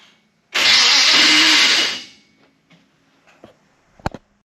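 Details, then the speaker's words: Chevrolet Biscayne starter refitted with guess-and-check shims: harsh high-pitched grinding whir about 1.5 s, no firing; shimming math was off, misaligning the starter; to be fixed by measuring and using mini starter bolts. "Okay, so I thought that shims were going to be the answer, and I may have done some redneck math to figure out how to properly shim it, and my math was a little bit off because it consisted of a guess and check."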